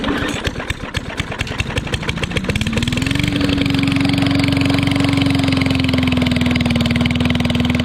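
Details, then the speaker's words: Yard Machines 22-inch side-discharge push mower with Briggs & Stratton engine, pulled from the trash, after mouse nest cleaned: starts and runs fast and steady with harsh, very loud bark because the muffler is missing. "i think it runs pretty good it just needs a muffler it's really loud"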